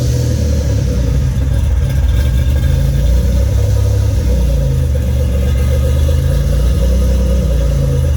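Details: Fully built 3800 V6 race engine on its first start after the build: deep, smooth rumble swelling and settling evenly on throttle blips, no ticks or knocks, no smoke or leaks; normal revving.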